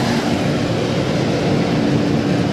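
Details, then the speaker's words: Second free diesel torpedo shop heater, fired right off: steady even roar from burner and fan, no sputtering or surging, pumping heat, though owner is unsure its fireball is as big as the first one's; normal running. "Sounds like it's trying to kind of stay going. but I don't know if this one has as big of a fireball as the other one. It sounds good though."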